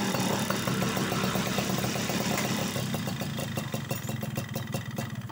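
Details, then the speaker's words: Yamaha F1ZR/Sigma two-stroke started after fixing two-stroke oil leaking into the engine oil, testing the oil pump: crisp, even popping at a steady idle that eases down, no misses or knocks. Healthy. "Oke, ini jalan ya kawan. Nah. Oke, sudah bagus ya."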